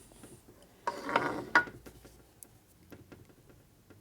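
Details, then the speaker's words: 1965 Harley-Davidson Panhead 74ci FLH during motor rebuild: cam gear rocked by hand with light gear clatter and a few clicks, moving freely with slight play, not binding, showing correct cam gear backlash. "good okay so we have no backlash we can hear it's not tight because they can move the cam back and forth with our fingers so it's not binding so that means the teeth aren't jam together real tight"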